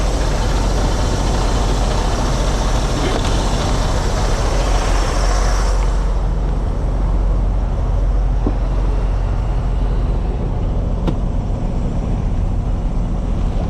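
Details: Truck being jump-started after a no-start on a low battery (11.3 V, probably something left on): right after starting, a steady low diesel rumble at idle with no knocks or misses. Normal diesel idle.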